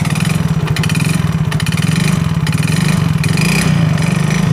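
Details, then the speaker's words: Yamaha Mio J scooter that reportedly ran out of oil; engine runs very rough with a clattery rattle over revs and settling, yet no smoke. Scored piston suspected of slapping in a loose bore; engine to be removed and opened. "tuh perhatikan di sini suaranya Tuh Kasar banget ya tuh perhatikan di sini suaranya itu Kasar banget"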